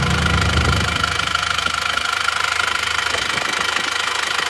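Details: Isuzu Panther diesel, hot, idling after repair: even clatter of about three beats a second with no misses. Only faint, normal smoke comes from the dipstick with no spraying; the fuel filter was replaced and the repair is finished.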